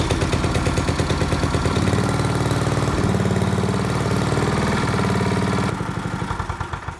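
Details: Old single-cylinder tiller engine after the points and condenser were replaced with a new modern ignition coil. It is pull-started on choke, catches, runs with a steady, even putter, then eases down. Ignition now fires properly; the owner hears clanking up top and will check coil clearance.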